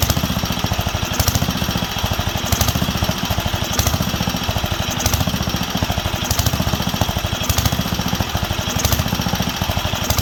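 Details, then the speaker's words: Wisconsin AENL barn-find engine after spark restoration and carb cleaning, run on partial choke with no load: a heavy thump surging about every 1.25 s. The owner blames fuel, since cutting fuel upsets it, with not enough on the high-speed circuit. "but the way it's surging is fuel because when i cut the fuel it obviously doesn't like it"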